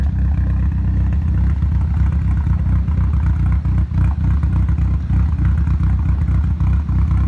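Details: Nissan Silvia S15 runs with a loud, low, lumpy rough idle with occasional dips after a full respray in which the engine was removed and reinstalled; it ran perfectly before removal, and the cause is not yet found.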